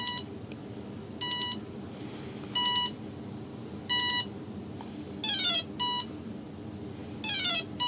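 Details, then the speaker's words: Hobbyking Sunbird 1.6m glider with a replacement ESC, powered on with the throttle stick up: bursts of short high beeps in groups, some sweeping up, as the ESC steps through its programming menu, with brake first. "these are all different settings you can hear it going through almost always the first one you hear is actually going to be for us breaking"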